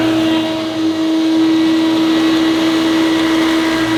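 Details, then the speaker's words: Hoover U2784 Turbopower Boost Autoflex vacuum cleaner, original motor before replacement: loud steady high whine with a coarse rough edge, no pitch change; motor sounds badly worn and rough, later replaced with a new motor. "so it looks fantastic but it sounds absolutely horrendous so headphone users I warn you now turn down your volume because this sounds absolutely horrible"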